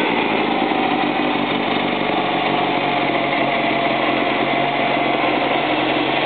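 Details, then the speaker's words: Freshly built 1835 engine with a new cam and Scat lifters, first test fire: a steady, even idle with a smooth exhaust note and no knocks or ticks; it sounds good. "Well, Randy, what do you think of your motor? It sounds good so far."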